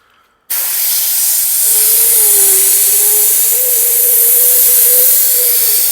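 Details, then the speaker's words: Lixiang with hum in wet weather at 130-140 km/h, air directed at the door rubber seal to reproduce: loud rushing air with a faint steady mid-pitch hum underneath; door seal resonating in airflow, seal position or tighter fit would stop it. "сейчас Антоха вам покажет куда именно и Под каким углом когда идёт воздух появляется этот звук"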